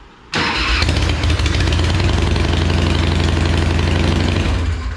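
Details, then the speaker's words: Sucker Punch Sally chopper after fitting a new upgraded starter. Engine spins over fast and evenly at a steady beat with no labouring or dragging: much stronger cranking than with the old starter. "it sounds so much better cranking up though yeah there's so much power now there's so much stronger"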